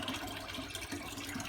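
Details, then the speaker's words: Beko WM85135LW washer after a cycle was cancelled by holding the button three seconds: steady water rush and gurgle with faint pump hum as it drains out; normal drain pump operation. "press and hold three seconds one two three and that sends the pump water out over there"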